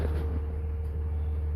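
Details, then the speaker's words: 2003 Dodge Ram 5.9 Cummins common rail, 320,000 miles, warm, after in-frame thrust bearing replacement: deep, steady diesel idle, even low drone with no knock or tapping, smooth in neutral and in gear. "idle and even when you put it in gear engine sounds nice and smooth neutral back into gear sounds nice and smoo"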